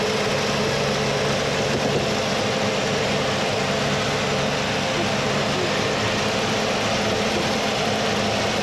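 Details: 1979 Mercury Capri with 351 Cleveland V8, distributor freed and retimed to about 10° initial (about 32° all in): loud steady idle at an even level, partly masked by background noise; idles smoothly.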